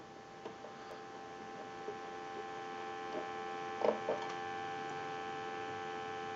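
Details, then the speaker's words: Converted wood wall crank telephone, final checkout after repair, dial tone via plugged line cord, heard through keypad's audio amplifier while volume adjusted: steady, even low hum-like tone with a few soft clicks; line and receiver working properly. "So we're going to go ahead and give you some dial tone. And we can turn the dial tone down."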